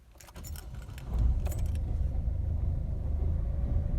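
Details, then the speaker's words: Peugeot 207 1.6L HDI diesel after service with new air, fuel and oil filters and 5W30 oil: short crank, catches and settles into steady low idle with no knocks or misses; normal start-up and idle. "Yep, the car seems to be very happy."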